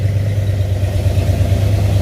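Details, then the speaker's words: 1970 Dodge Charger 318 V8, first start after a rebuild (mis-sized bearings corrected), with aftermarket Flowmaster exhaust: deep, steady idle burble with an even, smooth pulse and no misses or knocks, and no smoke; some other noises still to sort out. "as you can hear exhaust sounds pretty good got some aftermarket flowmasters on there you don't see a lick of smoke coming out of this thing"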